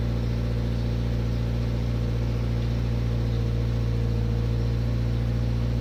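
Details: Toyota GT86 at cold start: deep steady engine drone with a fast, loose rattle a little under four times a second over it; cause not pinned down.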